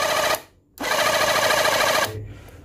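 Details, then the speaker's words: Reaim cordless battery jet cleaner, previously humming with a hot motor and no spin or water, tested after rotor housing reassembly: a short burst, pause, then an even high whir. Motor and pump spin up cleanly and run normally. "Sudah kembali normal ya, Teman-teman ya untuk pompanya dan untuk pistonnya dan juga untuk dinamonya."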